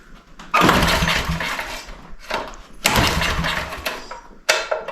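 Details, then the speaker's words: Generator that ran last year but sat outside in snow; on choke and run, several stubborn recoil pulls each give a brief rasp with no firing, a cranking no-start the owner suspects is fuel-related. "Okay, a couple pulls, it didn't do anything. So we'll see if maybe it's a fuel thing."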